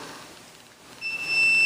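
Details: Multimeter continuity test on a Cherry-style arcade joystick switch: after a second of quiet a clean steady high beep as the joystick is moved and the switch closes; contacts making properly, normal switch continuity.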